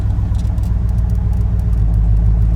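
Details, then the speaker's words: 2500 2WD truck with heads/cam upgrade, all motor, at about 700 rpm: deep, even rumble with a steady cammed-V8 lope and no knocks or misses; normal idle, injectors not at fault. "calm idle every time so I just wanted to show you guys if you're struggling it's not the injector so"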